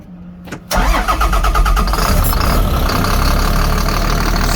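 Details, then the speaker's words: 2005 CAT C7 turbo diesel, 167,000 miles, 12,800 hours, zero blow-by: brief crank, catches immediately and idles with steady even clatter, then revved a few times; healthy normal cold start. "right up nice and smooth show you the oil pressure rev it up a few times"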